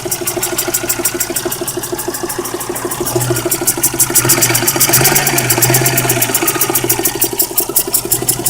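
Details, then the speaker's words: Geo Metro with used 1994 replacement engine, 208,000 miles: quick steady tapping knock over the idle, about three per second, sharp on top, with hissing; owner suspects knock from the number one cylinder. "it's starting to hiss and knock i don't know if you guys can hear that knock"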